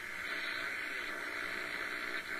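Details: Realistic DX-200 shortwave receiver, afternoon HF bands: steady loud hiss and crackling static with no station coming through, S-meter nearly pegged; heavy background noise, possibly from dry air static, cause unknown.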